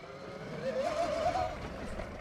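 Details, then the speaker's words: 2026 Tork Pro Sport 72V 45Ah electric dirt bike ridden in mode 2 while warming up: a wavering, wind-like motor howl rises and falls with throttle over road noise; cause unknown. "Kind of makes weird, kind of like wind howling kind of noise. You hear it more in the straight section coming up here soon."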